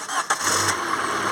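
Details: Peugeot 206 petrol, after fitting a new starter motor for slow crank (battery had dropped to 5 V while cranking): brisk, quick cranking for a fraction of a second, then fires and settles to a smooth idle; healthy start.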